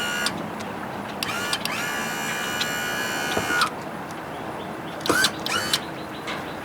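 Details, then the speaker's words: 70 hp Johnson outboard's tilt/trim motor, run after the battery was reconnected following the push-button ignition rewire. Smooth, steady two-second electric whine with even pitch and no grinding: nice and quiet, normal tilt/trim operation. "never did get to really show how nice the tilt trim works Motors nice and quiet sounds good"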